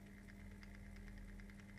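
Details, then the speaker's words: Bachmann 44-ton Bo-Bo diesel switcher model with DCC crawling at very low speed: low steady motor drone with hum near 200 Hz and irregular faint ticking; motor sounds rough and unhealthy, cause unconfirmed. "at we can it's like living life in slow motion isn't it but uh yeah it is impressive that this Loco can do that when its performance is really quite rubbish so it sounds very unhealthy I'll warn you"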